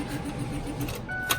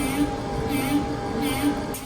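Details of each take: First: Ford F350 Cummins with a previously shimmed starter: starter catches for a moment then whirs freely at high pitch without cranking; pinion not holding the flywheel, owner suspects improper shimming or worn teeth. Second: Ford F350 Cummins diesel at -20°C after starter problems: short crank, catches and settles into steady low even rumble with no starter grinding; truck starts, though owner suspects an electrical or sensor fault remains.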